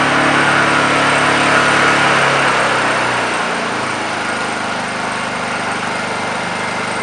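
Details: Warm Honda generator running in eco mode while DC-charging a 12V battery (12.45 V before start) through its charging cables: smooth, even hum easing to a lower, quieter speed and holding steady, about 13.35 V output, normal.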